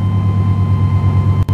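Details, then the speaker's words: Chevrolet/GMC 350/305 V8 truck idling after a distributor cap and rotor replacement: deep even rumble with a steady beat and no skips. Way smoother than before, normal idle. "way smoother it's jumping last time I cranked it that's good real good wow"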